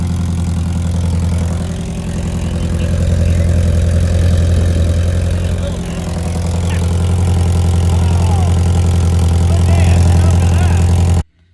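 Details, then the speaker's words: Toyota Previa at idle on a cool day, rust holes in exhaust pipes before the muffler: loud, deep, blatting idle rising and falling a little, far too loud; exhaust leaking from the rusted pipes. "well you can hear she's pretty loud all coming from there"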